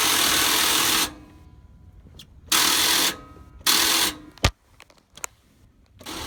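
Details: 1993 Chevy Silverado 1500 with 350 engine: several short bursts of starter cranking with quiet gaps, engine never catches or runs; crank no start, cause unknown.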